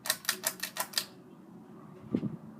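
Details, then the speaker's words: 44" Monte Carlo Designer Supreme II ceiling fan running on high, wobbling; sharp ticks about five or six a second as blades turn, then stop; ticking noise with wobble. "this one does wobble that as well you can hear some noise on it to similar noises the other one"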